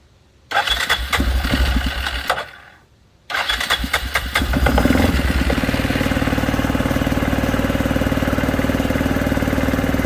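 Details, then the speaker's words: 2006 Arctic Cat 400 4x4 quad, first start after sitting, started with a shot of brake cleaner as starting fluid: cranking and a false catch, then a quick steady single-cylinder idle; owner suspects dirt stopping fuel draw, unconfirmed. "It literally started up with a little shot of ether. Not sure what that was all about. Maybe something was dirty enough to where it didn't want to pull any gas through."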